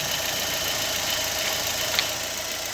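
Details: Fiat Fire engine, idling after replacement of the noisy timing belt tensioner bearing and renewal of power steering and brake fluid: steady, even idle hiss with no whir or squeal from the belt side.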